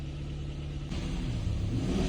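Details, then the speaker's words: Kia Ceed with code P0172, fuel trims -15 at idle and -24 at part load; on throttle the engine chokes and barely responds, giving a weak, muffled rev that climbs sluggishly. Hesitation under throttle from poor fuel. "Як тільки я газую, вона начинає ее задихатися. таке відчуття, плюс на газ не реагує"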